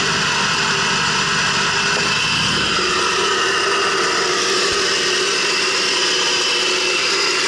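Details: 2006 Subaru B9 Tribeca at idle: steady airy hiss over a faint idle with no knocking, like air being sucked in; owner suspects a vacuum leak.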